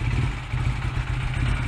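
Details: Honda Rebel 125 single-cylinder at idle just after the idle mixture screw was seated and backed out one full turn; brief low thumping, slightly lumpy beat with mechanical clatter, idle uneven.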